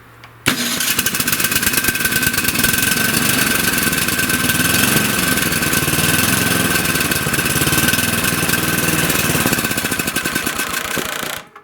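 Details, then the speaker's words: Tecumseh-engined snowblower after replacing the electric starter gear that had made a loud grinding noise: the starter catches quickly and the engine settles into a steady, even run with smooth engagement. A healthy start. "Now I'll spin it over with the switch off. See how much quieter it is? That's what you want."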